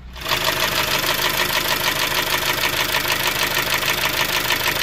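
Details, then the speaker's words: 2003 Honda CR-V RD8 with K20A4 engine idling after valve adjustment; the knock began after hard high-rev driving: sharp regular ticking knock about three per second, little changed; owner now suspects a rod or loose bearing and may pull the sump. "now I'm starting to think it sounds like a rod or something is moving around down there"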